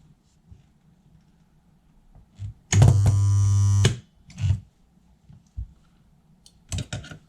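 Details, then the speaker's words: Spot welder on cleaned contact spot: one deep mains hum burst about a second, steady and even with small crackle at contact from imperfect first contact; good penetration, normal spot weld. "that sounded good. So it looks like we've got good penetration there."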